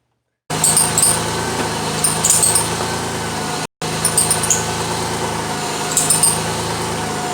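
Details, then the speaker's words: 1992 Lexus ES300 at idle while the steering wheel is turned: high shrill chirps in bursts from the front; the rear power steering belt is loose and slipping. "oh yeah that's a loose belt that's a little girl oh yeah it's a loose belt so it's the belt inside that is loose"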